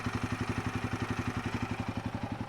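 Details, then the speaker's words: Royal Enfield Himalayan 450 after valve shim/cylinder head repair: even deep thumping idle around eleven beats a second, exhaust clear, no light tick-tick on top; tick sound fixed, normal idle. "That's the mechanical sound, but these are not the sounds of the shims or the walls. The tick tick tick sound is gone."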